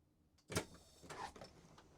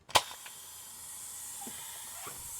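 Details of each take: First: Van Hool T812 Alizee 2 bus pneumatic door, final test after rebuilding the Bosch 0 481 500 007 valve, closed by remote: sharp air release and door thump, then quiet with no hiss; the door previously hissed when open, now works without leaks. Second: Van Hool T812 Alizee 2 bus pneumatic door valve Bosch 0 481 500 007, reassembled after cleaning seals: sharp pneumatic pop then steady high hiss as air leaks with door closed; leak source suspected in valve plugs.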